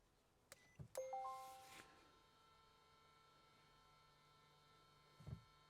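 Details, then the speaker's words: 2018 Volvo XC60 D5 R Design, OBD scan tool entering maintenance mode for rear disc and pad replacement, door open: cabin chimes then brief low motor whir as rear electronic parking brake motors retract normally. "Okay, and that noise was the parking brake motors being retracted."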